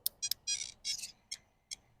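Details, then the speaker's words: Traxxas E-Revo RC truck with a roughly 12-year-old Mamba Monster 6S ESC after a runaway: erratic high-pitched chirps and short uneven beeps instead of the clean start-up tune, receiver blinking red; ESC burnt out. "Oh, I think the ESC's done. You hear that? Oh. Time for a new 6S."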